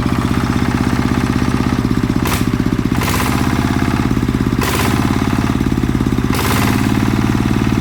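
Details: Type 160 single-cylinder diesel that was burning oil, after rebuild/repair: steady, even thump at constant idle with no knocks or misses; engine runs normally.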